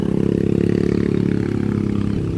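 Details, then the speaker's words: Yamaha Lexi 125 scooter climbing an incline at full throttle: a flat drone whose pitch sags instead of climbing, with rpm held back and no power. "Perhatikan ya tuh ini aja digas udah loyo noh ya tuh gasnya sudah mentuk tapi dia larinya segini ya jadi tenaganya dia seperti enggak keluar semua"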